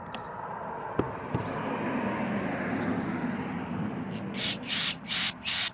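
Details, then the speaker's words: Honda CBR600RR fuel injector on a bench spray test after cleaning: crisp hissing bursts in a steady pulse, each cutting off cleanly with no dribble; this injector sprays well and will be kept. "oh that one's spraying real good that's definitely one that i'm going to keep right there"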